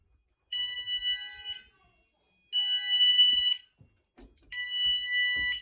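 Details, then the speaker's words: Apollo XP95/Discovery addressable house fire alarm covering the upstairs, put into alert as a test signal. Three even one-second high two-note tones repeat about every two seconds; the sounders work on alert. "we're gonna do the test signal so i'm just gonna put into alert so you hear my symphony go off"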